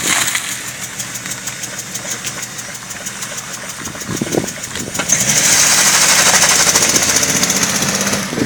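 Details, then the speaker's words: BMW E39 M52 2.8 engine in cold snowy weather, white smoke; uneven idle with steady ticking knock that sharpens when revved: engine knock with misfire, owner suspects two spark plugs not working. "Троит она. Троит? Может, Димас, две свечи просто не работают."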